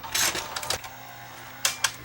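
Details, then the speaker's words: Sony SLV675 VHS VCR: sharp clattery bursts during quiet tape transport as the cracked, glued motor gear slips its teeth under load. "yeah you see it took the cassette that uh that crack gear on the motor even though I glued it it's uh"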